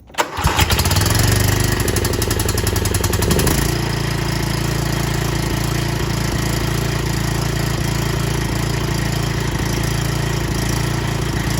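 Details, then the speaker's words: Cub Cadet XT1 mower single-cylinder engine after an oil and filter change with new oil, started to circulate oil: brief crank, catches quickly and settles into an even, steady idle with no misses or knocks; normal start and idle. "okay start it up nicely"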